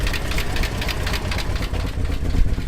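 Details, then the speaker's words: 1966 Ford Thunderbird 390 V8 at idle on fresh 20W-50 oil: quick light lifter ticking over a deep, uneven rumble; almost no oil pressure at idle, owner suspects the oil pump needs replacing. "You can hear we still have lifter. So great. I think this 390 needs a freaking oil pump."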